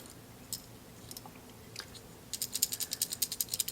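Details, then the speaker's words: Rattling PTC start relay from a Vissani-type mini wine fridge compressor, shaken by hand: dry, fast clicking rattle from a loose, broken thermistor disc inside, a usual sign of a bad relay; the replacement relay is silent. "hear the rattle there's usually a sign of a bad a bad one of these relays"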